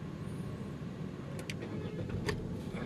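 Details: Hyundai Accent with a previous crank no-start, after the failed fuel pump was replaced: a short crank, then the engine catches at once and settles into a steady run. It now starts normally on the first try.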